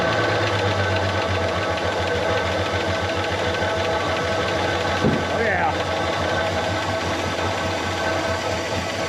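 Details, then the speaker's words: Chrysler CM Valiant Hemi six started for the first time with fuel added, running uneven and lumpy with irregular chuffing like an old tractor, cause unclear: rough running. "yeah okay see that thank you sounds like a bit of an old tractor at the moment"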